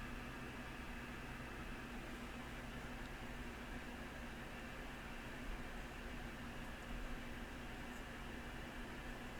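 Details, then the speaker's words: Yaesu FT-101E transceiver first powered up through a dim bulb tester, tuned near 29.2 MHz in 10-meter band with signal generator on: flat steady hiss, no stations or tones; owner suspects a faulty band switch. "Not getting anything in."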